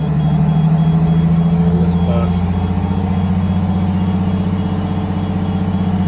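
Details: Detroit Diesel 6V92TA in a 1962 GM bus conversion at cruise-set fast idle during Williams air throttle and actuator repair for slow throttle return. Steady, even running with a faint turbo whistle, and the throttle came back slowly.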